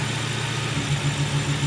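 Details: Mercury Grand Marquis 4.6 V8 at idle with one coil unplugged: low drone with steady lumpy beat about seven pulses a second; one dead cylinder misfire, traced to a finicky coil connector.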